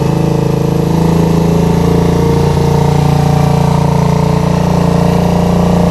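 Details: Rebuilt Suzuki GZ125 cafe racer/flat tracker with stainless exhaust, after nut-and-bolt rebuild: loud, steady single-cylinder thump through the exhaust, even with no misfires or rattles; running sweet, normal idle.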